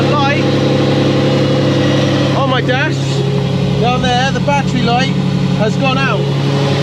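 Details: Ferrari Testarossa (Ratarossa), in a field after refitting the belt: steady even hum, clean low drone, no belt squeal or slap, music overlaid; warning light out, belt bouncing so to be tightened slightly.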